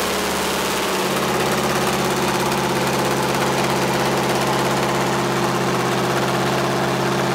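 Even, steady diesel drone with a constant beat and no knocks or misses; this engine runs smooth and healthy.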